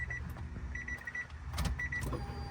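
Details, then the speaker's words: Honda Del Sol slow-to-prime fuel pump after replacement, covers off, fan off, key cycled on: faint steady hum for a couple of seconds; new pump primes loud and normal, the old one was very quiet. "Oh yeah, nice and loud. Actually, the other one, well, I mean, I guess the other one didn't have all the covers taken off of it, but the other one was very quiet."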